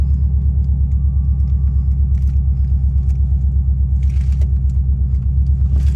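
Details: 2003 Subaru Impreza WRX (GDA) EJ205 turbo, 5-speed manual, 148,345 km, at idle: deep steady rumble with a regular pulse about three times a second; abnormal engine noise, source not yet found, engine to be disassembled.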